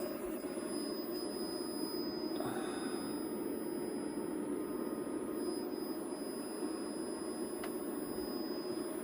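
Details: PowMr 5.6kW solar inverter running: steady thin high-pitched whistle over a low electrical hum. Owner is unsure whether it's an issue and is keeping an eye on it.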